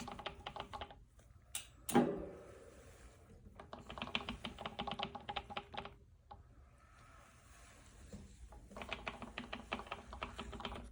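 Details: Brand new bike with a Bafang M620 1000 W mid-drive motor: rapid dry ratcheting clicks come in bursts when pedaling backwards; a BBS02 reference motor does not make this noise.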